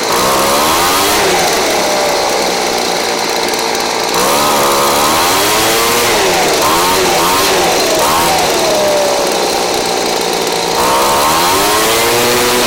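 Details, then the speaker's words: Craftsman 29cc two-stroke blower, received missing its spark plug and with no gas, now fitted with a Chinese aftermarket plug from a carburetor kit; buzzy engine revs up and down cleanly with throttle, running normally, the cheap plug works. "And now you guys know, those Chinese aftermarket spark plugs that come with those carburetor kits, they work."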